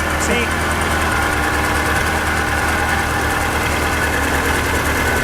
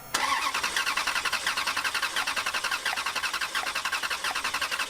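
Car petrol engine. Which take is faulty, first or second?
first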